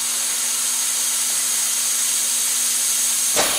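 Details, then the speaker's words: VW Passat intake pressure test, regulator about 10 psi, pumped about 3 lb, after boost loss from detached intake boot: steady high air hiss at inlet, no whistle or sputter from pipes; no leak, intake holding. "and I don't hear nothing leaking so we're good there"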